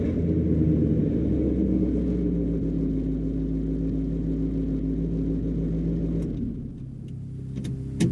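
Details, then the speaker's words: 1975 Chevy C10 with SBC 350, after replacing a grinding, free-spinning starter with an upgraded GM12563829 unit, no shims: engine starts without pumping, smooth deep even rumble, no grinding, shuts off cleanly. Starter engages normally. "in fact it started without any pumps I don't know how that happened normally doesn't do that but it started good"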